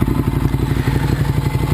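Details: 2009 Ducati 848 after repairing a disconnected fuel pump hose, idling warm at 212°F after about 12 minutes of running. Regular, lumpy twin-cylinder thump with a light dry clatter and an even beat. No leaks; normal warm idle.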